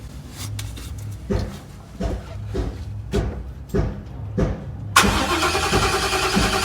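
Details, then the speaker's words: 2021 Ford F-150 cranks but won't start, runs on brake cleaner, no codes; test light on fuel pump yellow-gray feed during cranking shows no power despite good ground: slow, even starter churn for five seconds, never fires. "nope got no power to the pump or is my ground not good let me check my ground"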